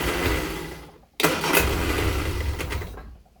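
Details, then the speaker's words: Cold petrol engine, newly revived, cooling system not yet connected, with a slight misfire and timing suspected off; after choke reduced, it churns on the starter about two seconds without catching, so it needed the choke. "no she doesn't like that she did like the choke after all"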